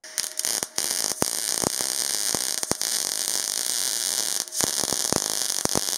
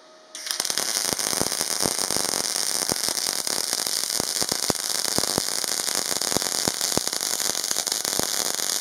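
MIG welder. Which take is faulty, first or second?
first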